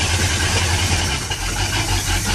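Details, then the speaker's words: Sea Ray boat's Mercury 350 V8 with Rochester Quadrajet four-barrel, divorced choke, previously hard to start cold, primed once, first start in over two weeks: fires right up into a deep, steady, even idle without stumbling or hunting; normal cold start. "okay so this is cold start and it fired right up okay so so i fired right up which is really good"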